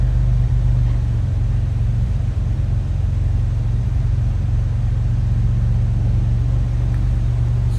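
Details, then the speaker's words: 1949 Willys Overland Jeepster, somewhat cold-blooded at first start but now idling: a steady, even low rumble with no knocks, misses or rhythm changes; running pretty smooth, normal idle. "like it's running pretty smooth."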